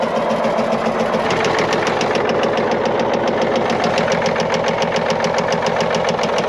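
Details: Caterpillar 977L with 10.5L CAT diesel idling, sharp regular knock about three and a half per second despite good oil pressure in green; cylinder 6 dead though injector appears fine.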